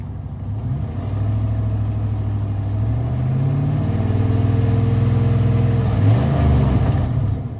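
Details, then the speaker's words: 1995 Dodge Ram 2500 with 360 V8, warm at about 150-155°, started during an alternator replacement: deep rumble rising and falling with revs, ragged puffing lope; muffler separated from tailpipe leaking, not a misfire. "what happened was the muffler come away from the tailpipe a little bit and so now it's got that kind of you know every time the motorcycles"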